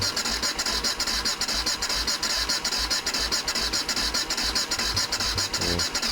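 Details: BMW F650 Funduro single with freshly cut plug leads, clean plugs and fuel added: even cranking about two and a half pulses a second, never catching or firing; owner suspects the seized, unfamiliar lever-operated choke system.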